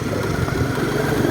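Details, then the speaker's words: Suzuki Smash FI injection motorcycle on a road test after replacing worn three-shoe clutch pads that caused juddering and jerky take-off: steady, even engine note, runs smoothly with no shudder. "วันนี้โอเคครับวิ่งดีเลยนะครับผมไม่มีปัญหานะครับผม"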